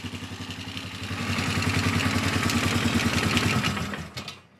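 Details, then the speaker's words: Polaris Sportsman 450 ATV with its restored original Mikuni carb replacing a junk aftermarket carb and fuel pump, no choke or enricher: even single-cylinder idle thump, clean and smooth. A clicking is suspected to be starter clutch rollers; slow mixture seems slightly rich. Normal idle. "Runs really good. Like I said, that was no enricher, no nothing."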